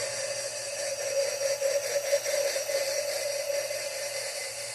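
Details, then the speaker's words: Lapping a valve on a small-block Chevy head (1978 GMC truck engine rebuild): faint smooth hiss with steady mid tone as the grinding goes quiet once the lapping compound is squeezed out from the seat. "Notice how quiet it's gotten."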